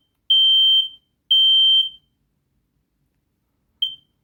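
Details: Home smoke alarm test: loud, piercing beeps of about half a second, two back to back then a short one, in a quiet room; alarm tests fine.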